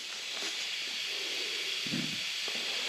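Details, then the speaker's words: Intake manifold pressure test at about 10 PSI: steady, sharp hiss of escaping air with no rhythm; the aluminum plate seals, but boost leaks from the gasket between the aluminum plate and the temperature sensor. "Why isn't that plate sealing? Thought gasket's leaking, too. But it's not leaking from the plate. It's leaking from the gasket."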